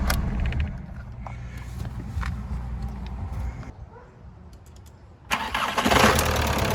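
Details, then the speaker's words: 1996 VW Passat TDI at cold start idle, with a dead alternator (11.87 V) and needing a muffler: a light, quick tick of about three per second over the diesel clatter. Owner expects it to go away once warm. Valve tick on cold start. "well it's ticking pretty good but I think that'll go away once it gets some heat in it"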